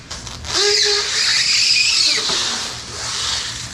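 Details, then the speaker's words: Permobil C300 power wheelchair with 120 amp controller and new Michelin S83 moped tires at 40 PSI: high wavering squeal rising and falling as wheels spin up and scrub; the new tires squeal under wheelspin. "yeah so this chair is tuned up with 120 amp controller tires are very squeaky"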